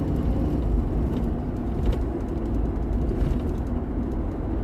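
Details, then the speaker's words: Ford truck engine misfire while driving and at a stop, check engine light blinking: deep, lumpy rumble with an uneven, stumbling beat and a tick-tick-tick heard low down; a pretty bad misfire. "Yeah, that's a misfire."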